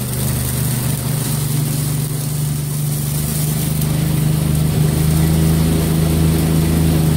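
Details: 1963 MTD Lawn Flite lawn tractor after ignition rebuild, mowing: steady small-engine drone climbing over several seconds and staying high under load; running too fast, throttle and governor not right, had to throttle all the way down.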